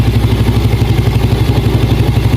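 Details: Yamaha Jupiter Z new (Robot) single-cylinder at idle before opening clutch cover: fast, even ticking clatter ("ketek ketek"), loudest low down, rough rattle from clutch cover side; clutch cover rattle.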